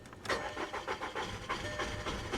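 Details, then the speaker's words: 2013 BMW 328i at a Copart auction, listed as start-not-drive: the starter turns the engine over in steady pulses, about four a second, but it never fires, even with gas. Cranks but won't start; key cycled, possible low fuel pressure suspected. "but this one's listed as a start not a drive ooh that didn't sound healthy that uh that doesn't sound good let's give her a little gas nope that didn't sound good either"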